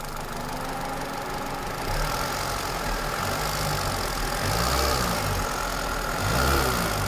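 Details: Toyota Celica with 2ZZ engine, idling and blipping: rapid, fairly even tapping that speeds up with revs; knock, source not yet found.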